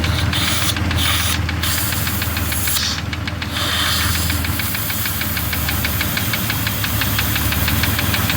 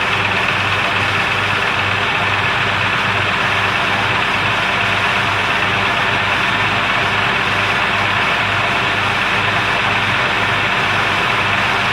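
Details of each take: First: 2002 Jeep Grand Cherokee Laredo idling with a vacuum hose open (missing part, also weakening brakes): light uneven tick about four per second with faint hiss; rough idle from vacuum leak. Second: 2002 Jeep Grand Cherokee Laredo after PCV valve and vacuum hose replacement: steady, even idle with smooth low pulse, no ticking or clicking as before; normal idle.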